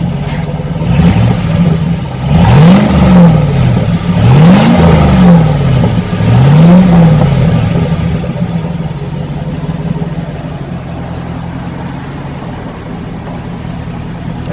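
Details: 1998 Suburban swapped to a 5.3 LS V8 with 4L65E transmission, on a cold Dallas day. Three quick blips climb and fall back smoothly to an even, steady idle with no knock or misfire; the V8 runs healthy.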